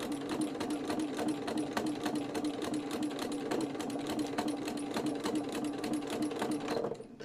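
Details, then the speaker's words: Fast, steady stitching, about 3.5 stitches per second, with a thin, steady whistle on every stroke; the sewing machine has always whistled, cause unknown, and the owner thinks it needs a new needle. "can you hear my sewing machine whistling it drives me potty when it does that it's always done it so I don't know why"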